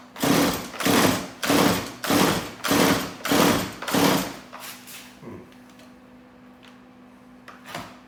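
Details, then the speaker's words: Stihl MS180C chainsaw on full choke: seven pull-start strokes then a short sputter that dies within a second, plug possibly not getting fuel; faulty carburettor, fixed only by a replacement carb. "i don't think it is um so it is probably the carburetor issue um it did kind of kick for me there which got me a little bit excited"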